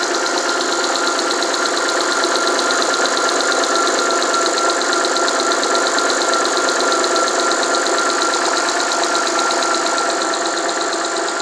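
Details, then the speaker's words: Alfa Romeo 156 Busso V6, first start after about three years sitting, fuel lines reconnected and air bled: after three or four minutes running, even steady idle with no knocks, misses or surging; all six cylinders firing, normal idle. "this looks like okay engine is running for maybe three or four minutes and everything seems to be functional only some minor problems or minor minor faults maybe there is burnt the light bulb but nothing seems to be incorrect"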